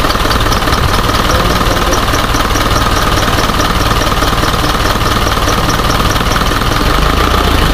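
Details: Isuzu 4HJ1 diesel with low power and hard starting: idle clatter with an uneven, shaky pulse about two to three per second; rough idle, cause not pinned down.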